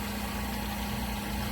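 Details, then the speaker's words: Vacuum Atmospheres HE-43 glovebox pressure control running the vacuum pump to lower box pressure: a low, steady drone with a constant tone; normal operation. "it'll go ahead and cut off and it tries to maintain his range so you can hear the valve clicking on and off"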